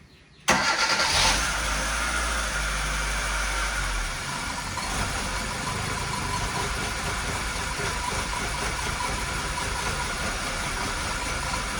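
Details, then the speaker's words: 2002 Hyundai Accent 1.5 L petrol at idle with P0300 misfire codes, low power and poor fuel mileage: cranks, catches and settles into an uneven, lumpy idle like an old diesel tractor, before diagnosis and repair. "Really, it is running like a garbage. Actually, it is running like an old diesel tractor engine."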